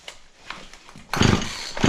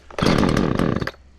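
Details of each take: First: Auction-bought Husqvarna 36 chainsaw with 16-inch bar, cranked on choke: repeated pull-cord surges about once a second, each a short sputter that never catches. A hard start; spark was later confirmed. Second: Husqvarna chainsaw from auction after cleaning and fuel line replacement, chain possibly slightly tight, started on choke; fires and revs cleanly with crisp steady two-stroke buzz; healthy running.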